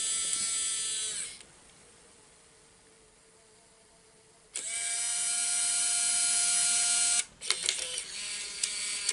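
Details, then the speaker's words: Bose Wave II multi-disc CD changer, reassembled after disc error repair: high whirring motor runs about a second, stops, then whirs again three seconds with clicks during its setup cycle; mechanism timing still off. "See if it works. It's going through its hot setup processes. There we go."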